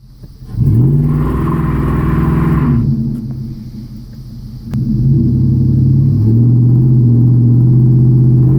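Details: Engine straining in 2nd gear under acceleration with no power, strained drone with raspy puffing from a progressing exhaust manifold leak.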